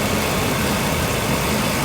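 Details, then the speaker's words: 2015 Dodge Dakota with brand-new replacement engine just installed, first runs, light smoke from tailpipe burning off assembly lube; steady even idle with smooth low rumble, no knocks, ticks or misses; normal idle. "Got a little bit of puppy on the tailpipe, and that's burning off all that assembly lube from sitting for so long. Yeah. Smells good, sounds good, feels good. Yeah, it sounds great."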